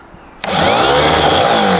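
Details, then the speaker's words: Starter motor from a rebuilt BMW D190 marine diesel, bench-tested with a brand new solenoid, motor run alone: quick, even whir spinning straight up to speed with no grinding or rattle; the motor works and its bearings are fine. "That seems to work. Bearers are fine."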